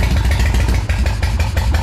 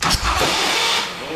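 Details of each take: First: Custom motorcycle with big-inch S&S Evolution-style V-twin, parked for 20 years, first revival start with choke: loud, steady, lumpy V-twin beat at idle with even firing, then shutoff; engine running normally. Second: Custom hand-built motorcycle with big-inch S&S Harley-Davidson Evolution-style V-twin, revived after sitting about 20 years, choke on, remote fuel bottle: starter cranks hard, engine almost catches, then cranking sags and fades once the starter warms; owner suspects the starter motor is done.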